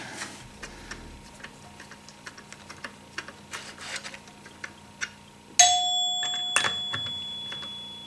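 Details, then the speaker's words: 1974 Gottlieb Magnetron EM pinball three-chime unit after rebuild: crisp bell strikes with long clean sustain, no plunger clack since the plunger bounces off a seal; chime unit working properly. "See, they got that sustain to them."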